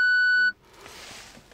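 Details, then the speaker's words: VW Golf 7 in reverse: single steady high beep about half a second, then quiet, with warning flashing; rear parking sensors not working since a battery change, caused by a failed park-assist buzzer, later fixed by replacing it. "Marche arrière, quand j'ai le capteur marche arrière qui fonctionne pas."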